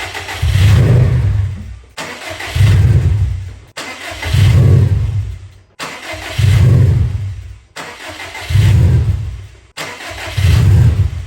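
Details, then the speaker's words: 2017 Subaru STI with EJ20X engine, first start after build: six long crank bursts of about two seconds each, and it chuffs but never runs on its own. Hard no-start; owner suspects a fuel delivery issue and plans to check fuel pressure. "It's not wanting to start. I'm gonna see if it has fuel pressure. I believe it's some sort of fuel delivery issue."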